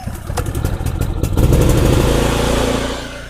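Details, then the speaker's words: Efurden 4400W portable inverter generator started on choke: catches and revs with a firm, even beat, then the eco switch is turned on and the RPM settles lower because there is no load; healthy start and idle. "I just put the eco switch on, and now the RPMs are coming down because there's no load on the generator."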